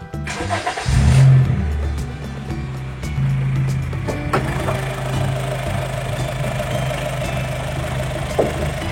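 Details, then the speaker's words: 2014 Honda Mobilio E Prestige CVT, used-car check: smooth, even low idle hum with no knocks, ticks or rattles; engine sounds normal. "Mesin juga suaranya normal ya, nggak ada suara-suara aneh gitu."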